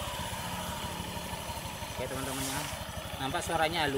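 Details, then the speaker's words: Honda Beat scooter with smooth starter, CVT drive belt just reinstalled and tested before closing the cover: idles and revs cleanly with no whine rising with revs; a whining noise would usually mean a loose belt, so tension is correct. "ya halus dan digas enggak bunyi Wing gitu kalau dikasih bunyi Wing gitu biasanya karena fanbelnya sudah kendor"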